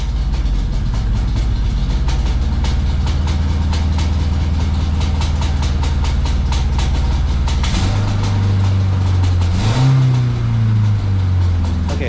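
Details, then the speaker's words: High-mileage 1992 Honda Accord CB9 wagon, timing belt redone after amateur misinstall, valve cover back on: rough, lumpy idle with uneven chuff and stumble, still misfiring, not running on all four; low compression on two cylinders, likely bent valve. "what to start it it's actually misfiring again or well I guess it was misfiring I just couldn't hear it last time when I started it there"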